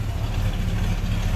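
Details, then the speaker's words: 1978 Pontiac Trans Am 400 (6.6 L) V8 idling, heard from behind the car: deep, steady low rumble with an even beat, nothing ticking or knocking, not smoky; a healthy normal idle. "Nice little rumble out of that, like I said, 400 or 6.6 liter. Sure sounds good. Not really smoky or anything."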